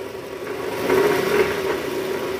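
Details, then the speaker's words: Toyota Estima 2AZ-FE petrol engine just after start, AC on: a throttle blip brings a coarse, uneven drone over idle from the oil pan area, diagnosed as a worn balancer shaft. "Nah, untuk kali ini kita mau mengatasi gejala trouble, yaitu suara mesin kasar pada saat awal mesin hidup, guys."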